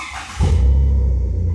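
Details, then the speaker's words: Jeep TJ started right after replacing spark plugs whose old gaps were almost three times spec (suspected cause of an intermittent miss): catches almost instantly on the key and settles into a deep, even idle; a clean, healthy start. "Oh yeah, she fired right up. Sounds good."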